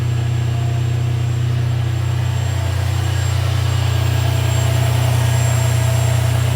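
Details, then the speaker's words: Ferrari 456GTA V12 at warm idle after a major service and radiator and oil cooler reinstall: deep, smooth, even burble with no ticks, knocks or stumbles. The check engine light lingers, but no faults are stored and there are no leaks underneath. "Everything looks good so far. Take a peek underneath. Everything looks good and happy. Sounds good."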